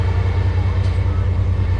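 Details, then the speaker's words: Car just unloaded from a trailer: steady low whirring pulse about ten times a second that never lets up as the starter stays stuck engaged and keeps spinning; once stopped, the battery was dead. "and if you guys can hear it the starter is just sitting there turning so uh yeah this is gonna be interesting"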